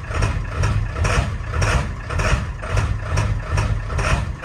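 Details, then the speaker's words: 7.3L Powerstroke diesel truck, cold start first thing in the morning: bucks, shakes and cackles, idle surging unevenly about twice a second with rattly bursts, then smooths out; hard start, owner suspects injector o-rings; new ICP, injectors buzz-test fine. "so as you can see it bucks it shakes it cackles and then it idles and smooths out so you can tell that something's going on"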